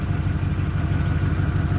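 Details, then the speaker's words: 1987 Camaro IROC-Z V8, sat 2.5–3 years, now running after a busted spark plug wire was fixed; warming up, not yet hot. Steady low burble with an even pulse, no misses or clatter. Normal idle. "but she sounds great you guys she sounds really good i'm excited that i got it running again"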